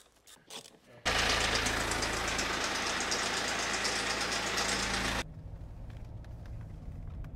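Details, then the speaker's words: BMW E61 at 247,000 km, timing chains worn out and slapping inside the engine: a harsh metallic clatter at about four beats a second, easing as the engine settles. Chains need replacing; previous owner claimed they were already replaced. "so as you guys probably heard in the previous Clips the timing chains are kaput they absolutely need to be replaced you can hear them slapping around in the engine"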